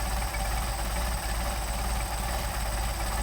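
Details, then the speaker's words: Mercedes 190SL with freshly rebuilt Solex 44PHH carburetors, warm (~90°F ambient), idle set down to about 425–450 rpm during airflow balancing: slow, even low rumble with soft steady beat, no misses or knocks; clean healthy low idle. "So you can see these things will idle very nicely."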